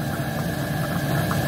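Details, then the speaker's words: Van diesel heater (Iveco Daily camper) after error code 10, no ignition; cracked fuel filter found and fuel re-primed: steady low roar with even fan hum, no sputter or surging, hot air out; normal combustion after fix. "yes definitely hot air coming out oh my God thank you Jesus oh thank you Jesus I fixed my diesel here"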